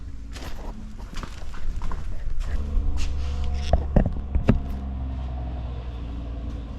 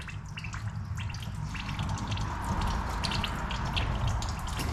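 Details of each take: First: 2019 John Deere Gator XUV835R with replacement Chery SQR372 engine, idling during coolant bleeding: low, steady idle hum under some clatter from nearby handling; normal idle. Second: 2019 John Deere Gator XUV835R with replacement Chery SQR372 engine, 12,000 miles: irregular gurgling and dripping, a few bubbles each second, over a quiet running engine as trapped air works out while the coolant is bled.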